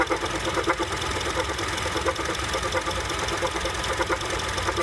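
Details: 2007 Honda CR-V at idle with the AC off gives a light, irregular clunk about once or twice a second. The sound goes away when the AC turns on; cause unidentified.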